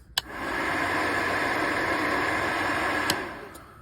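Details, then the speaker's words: Ducati 1199 Panigale with manual cooling fan override switch; steady, even airy whoosh at constant pitch, no ticking or scraping; radiator cooling fan running normally. "the other mod is I've got a manual override for the cooling fan because it's ridiculous having to wait for it to come on 103 degrees sitting in traffic so I can just override it"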